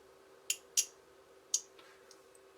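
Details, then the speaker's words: Relay for an added spotlight on a 2021–22 KTM 1290 Super Adventure, diode across the terminals, checked on an oscilloscope: crisp clicks as the relay closes and opens cleanly, no voltage spike shown. "okay relays closed relays open and as you can see no Spike on the screen"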